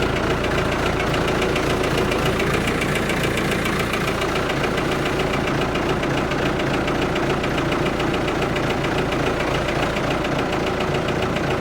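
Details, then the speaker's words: Ford 655A backhoe diesel just started after sitting abandoned, steady even idle clatter without misses or surging; sounds real good, normal idle. "wow listen to that thing idle sounds real good"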